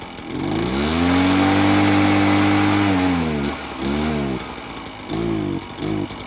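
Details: Echo PB-403T two-stroke backpack leaf blower that had sat for years, ran only on half choke and wouldn't rev, after service: picks up crisply, holds steady high revs, drops and blips back cleanly; healthy carburetion.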